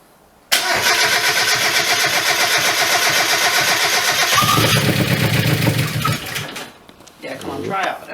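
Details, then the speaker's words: Race car engine, first start after head gasket repair and rebuild: catches and runs with a quick light ticking, roughly four a second, over a rough idle; dry lifter tick, running on all cylinders. "well it starts which is a good start that's that dry taic you can hear y 16 TDI back it's running on them all"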